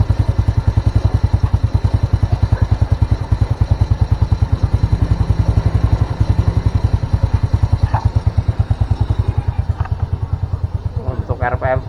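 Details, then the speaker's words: Old Honda Supra that starts hard in the morning, with black plugs and black exhaust smoke at mid-high revs: slow, uneven idle thumping, running low and dying when revved. Rich mixture, possibly from a worn carburetor needle. "cenderung rendah ya saat kita tinggikan dia enggak bisa ya susah cenderung malah mati"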